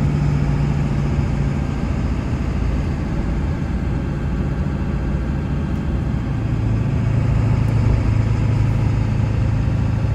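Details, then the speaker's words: 1999 Ford F-350 4x4 dually with the 7.3 Powerstroke diesel, 6-speed manual and 58k miles, braking for a sharp corner on a test drive. Diesel drone and road hum with no pops, rattles or clunks, and the pedal is firm; normal braking. "Hear the brakes to slow down to go around this sharp corner up here. It don't cause any kind of pops or rattles, no kind of clunks or anything."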